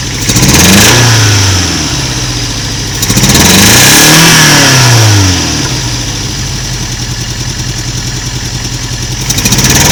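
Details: Toyota MK1 MR2 with a really shaky rough idle. Engine blipped twice, then settles to an uneven, pulsing idle with a slight stumble. Codes 4 and 6 stored, and injector resistance reads 3.6–4 ohms against a 1.5–3 ohm spec. No vacuum leaks found. Owner suspects one cylinder is not working.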